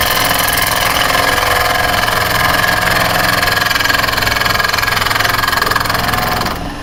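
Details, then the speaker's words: Woodturning lathe on an uneven blank. A steady lathe roar carries rhythmic chatter of three or four bumps a second as the tool rides the not-yet-level face; the bounce tells the turner the face is not level yet. "going to bounce a bit because of the unevenness. See, as soon as smooth, it stops bouncing. So, I know that's when I'm there."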